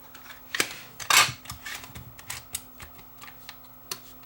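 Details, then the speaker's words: Sony TCD-D3 DAT walkman: on loading a tape, irregular clicks and short whirring bursts as the tape moves, capstan and drum motors turn, then it stops and it won't eject until power is removed; suspected mechanism problem, possibly the door switch; tape fails to load. "so i see the tape is moving i think this is a mechanism problem so it unloaded the tape caps the motor turned"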